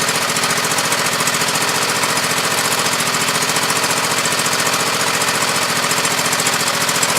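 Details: Husqvarna YTH2448 mower, 24 hp Briggs V-twin, 195 hours, full throttle with deck engaged: loud lumpy beat of about three and a half pulses a second that never smooths; plug-wire test shows one cylinder dead or weak.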